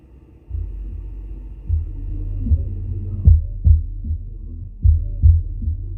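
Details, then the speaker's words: Car audio with two Soundqubed HDX3 12-inch subs on a Taramps MD 5k amp, being checked for a static rumble, gain slowly raised: deep, clean bass with no hiss or static, ruling out the amp. "i got no static just all bass so that's good that's definitely a good sign so it's definitely not the amp"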